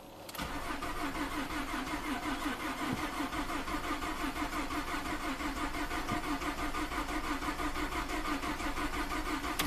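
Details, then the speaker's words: Ford F150 EcoBoost with 220k miles and a low fuel pressure code, crank no-start: the starter churns steadily for ten seconds and the engine never catches. Desired rail pressure was 1250 psi but actual reached only 200; the in-tank or high-pressure pump is suspected weak. "Yeah, not quite. So you see, desired went to 1250, actual only went to 200 psi. That's like six times less than it should be."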